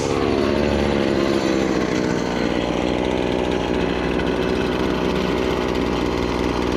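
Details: Stihl FS70R two-stroke string trimmer after repair (bogging and no power traced to a fuel mix with far too much oil, clogged spark arrestor and gummed carburetor): steady high buzz holds pitch while cutting, no bogging or surging; normal running under load.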